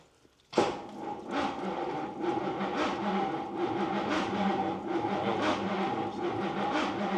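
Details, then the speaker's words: 20-foot Daimler Majestic Major Hemi V8 limo on a cold day, powered by a tractor battery plus jump pack; starter turns it over slowly with no firing. Owners suspect the boot-mounted electric fuel pumps have a bad connection or no fuel. Cranks but no start. "but it does turn over we can get some fuel in it and get the pump to work"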